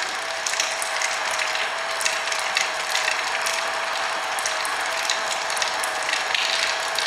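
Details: Hobart A200 food mixer right after reassembly with gears transferred and keyway fitted, covers still off; even mid-pitched gear hum with light regular ticking, no knocks or grinding. Normal gearbox running, repair works.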